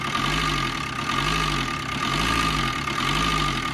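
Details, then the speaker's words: Maruti Swift (Dzire) at idle, late-starting complaint with fault code P0340 camshaft position sensor; fast metallic clatter with a slow swell about once a second, loud timing chain noise; loose timing chain rattle causing cam signal fault. "ஏன்னா இதோட noise, timing செயினோட noise எவ்வளோ அதிகமாக இருக்குது பாருங்கள்."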